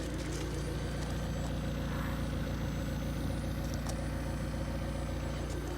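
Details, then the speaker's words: McLaren 720S stationary after cold start, engine idling: thin, steady, loud high-pitched whine over low idle, noticed standing outside or sitting in the car; suspension actuator whine. "that is noisy that that is loud so that noise high-pitched wine I mean that's like something that comes out of your mouth"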